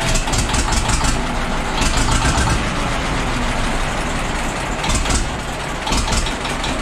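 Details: Famulus tractor, first start after two years standing, 24-volt system on two batteries: the diesel catches and settles into a steady, clattery idle with no misses or heavy knocks; it is running well.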